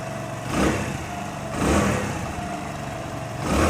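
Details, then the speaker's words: Hero Honda Splendor Plus after a half-engine (top-end) rebuild idles smoothly with clean throttle blips, no knocking or tapping, and no smoke where it smoked heavily before; normal running. "अब इसका sound ऐसा है और देखिए धुआं तो बिल्कुल नहीं मार रही है।"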